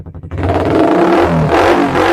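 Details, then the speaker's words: Used 2017 Suzuki GSX-R for sale, light revving: a few quick pops, then a crisp rise in revs that pulls cleanly and holds smoothly; a healthy, free-revving engine. "Jos, bosku ya. Untuk suaranya juga masih pop jreng jos."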